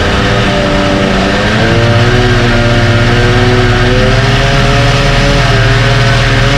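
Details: 1968 Evinrude Fastwin two-stroke outboard, first run, just dropped in a test tank with fuel and no work done: loud even burble climbing smoothly in pitch as throttle opens, no misses or knocks; runs like a top, healthy.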